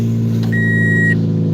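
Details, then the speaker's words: Vehicle at 115,000 miles, started after sitting about two weeks, on a borrowed battery: smooth, even low hum with no stumbles or knocks and a chime over it; usually starts rough then smooths out, idling cleanly now. "it's not even running rough either it's running great usually runs rough person Smooths out"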